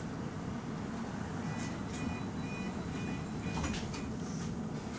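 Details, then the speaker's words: GAL electric bus on route 132, coasting with no accelerator pressed: a low cabin rumble with faint on-off high tones and brief squeaks; the weird noise is absent while accelerating or stopped. "it doesn't make the noise when it accelerates but for some reason if the bus is moving and driver is not pressing the FR oh it will make the noise it will make this weird noise"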